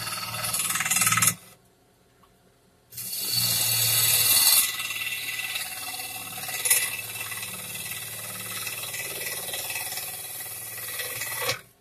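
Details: Wood lathe turning a cherry burl bowl: a hissing cut with a loose knock about four times a second as the gouge meets the uneven burl and bark. Cause suspected, not confirmed.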